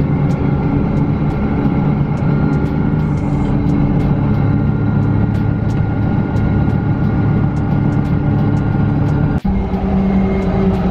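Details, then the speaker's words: Five-speed manual pickup on the freeway after replacing a worn U-joint that caused a rattle under throttle in all gears: a steady, even road and engine drone with no shudder or thump. The driveshaft now runs smooth, and the transmission was not the problem. "so we're on the freeway and the truck is driving smooth just like how it should but i'm glad that it wasn't a transmission problem"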